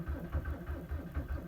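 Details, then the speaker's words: 2003 VW Jetta TDI (ALH) cold start at about -19 to -20°C on roughly 20% biodiesel and 80% winter diesel, after glow-plug cycles: slow, lumpy cranking with the odd cylinder catching briefly but never running; biodiesel gelling suspected, not confirmed. "firing a little tiny bit okay let's try three cycles of the glow plugs"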